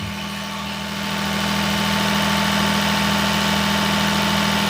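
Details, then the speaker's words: Daihatsu S210P mini truck engine after new OEM camshaft and phaser, sat two years, 180 psi compression, alternator not running: smooth, steady idle with an even hum, no knocks or misfires; idles cleanly. "This old girl's running again."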